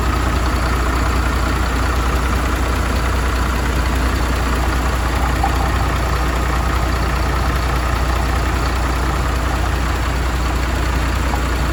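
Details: MAN TGM truck, D0836 LFL 63 diesel, after engine rebuild for smoking and misfiring, with bench-tested replacement injectors: deep, steady rumble at even idle, no missing beats or knocks; normal idle.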